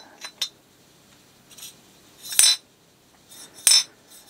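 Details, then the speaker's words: Ford Model A distributor: a new shaft is rocked by hand in a new aftermarket distributor body, giving sharp, irregular metallic clacks close to the camera. The shaft-to-bushing clearance is on the loose side. "that's new if you ask me this is a bit under loose side so just a tip and listen to this when I bring it close to the camera"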